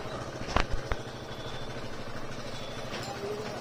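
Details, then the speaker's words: TVS XL100 i-Touch BS6 that would not start because of water in the fuel tank; after draining the tank, it starts and the single cylinder putters at a steady, even idle with no misses. "अब यह ठीक से start हो रही है और गति भी पकड़ रही है।"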